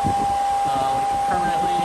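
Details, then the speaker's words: Electric cooling fan on a 12V Cummins-swapped truck running hard with the engine off: loud steady whir, constant tone, heavy rushing air, some vibration into the truck; normal, moves serious air. "so I'm hoping that when the truck's running you don't notice it but this thing moves some serious air I mean it's it's pretty gnarly so pretty stoked on that"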